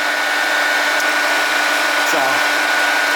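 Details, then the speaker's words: Project HEEP electric cooling fan switched on through a newly wired relay, polarity corrected so it now blows the right direction: steady airy whoosh with a faint constant hum, even throughout; normal operation. "okay so you hear it running and you guys can see that it's going the right way now blowing our little slip of paper in the right"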